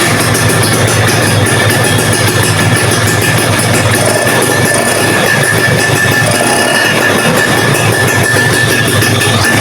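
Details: Vespa PX150 two-stroke after engine rebuild with cylinder/piston work and new CDI wiring, ignition timed at 19° BTDC: steady even buzz, constant beat, no knocks or rattles; tight but healthy engine running in.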